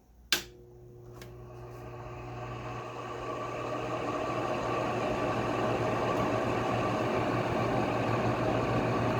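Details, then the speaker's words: Goldstar WG5004 window air conditioner on low fan: click, then steady fan hum with a rough, gritty grinding growl from noisy fan motor bearings; fan still has good spin-down time, so not completely dry; bearing grinding. "See, without that grinding noise, it'd probably be really quiet, because you can't even really hear the fans that much."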